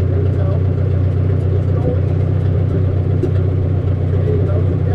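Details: 1957 Case 310 Terratrac loader, not run in over 20 years, just started: low, loose, floppy chugging at about four beats a second, rough running. Low fuel pressure suspected, not confirmed; compression described as good.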